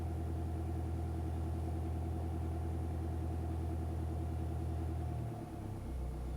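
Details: Mercedes E-Class W211 220 CDI diesel idling: low steady rumble with faint irregular pulsing and a dip in the note near the end; strange noise the dealer could not identify, cause unknown.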